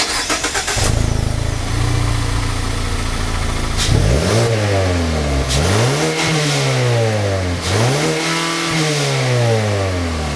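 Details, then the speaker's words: 2019 Mazda 3, 2.5L Skyactiv-G inline four, 6-speed automatic, recorded at the rear from the transversely mounted dual-outlet muffler; starts, smooth idle, three clean even rev blips, healthy smooth exhaust note. "Now there's no fake exhaust tips. There's actually cutouts in the bumper to allow a proper tip to come through. And now we'll have a listen to the exhaust."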